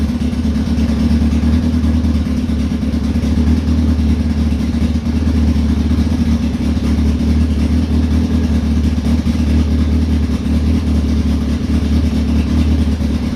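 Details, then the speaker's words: 2002 Yamaha Fazer 1000, cold start after sitting over two months, cooling fan switched manually because the thermostat fan switch fails: deep, steady, even exhaust drone with no misses, knocks or rattles. Normal running. "so yes everything looks fine the engine is just running absolutely fine"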